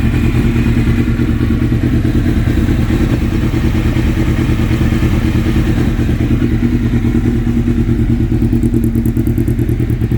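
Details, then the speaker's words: Suzuki GSXR750 after cylinder head and valve seal repair, intake manifolds replaced to cure air leaks, mixture screws two turns out: steady, even thump at idle, no hunting or stumbling; healthy. "Intake manifolds have been swapped on. No more air leaks. Finally. Finally. So, got the filter oil and this thing's just running as it should."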